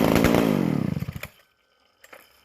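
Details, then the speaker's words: McCulloch Super Pro 125C chainsaw after cleaning, a new intake boot and a new-old-stock muffler. Fixed-jet carburetor with the mixture turned out slightly. Crisp two-stroke revs winding evenly down to a clean shutdown; running like a charm. "She's running like a charm, and it's on that fixed jet carburetor. Turned out the mixture just a little bit, and just running wonderfully."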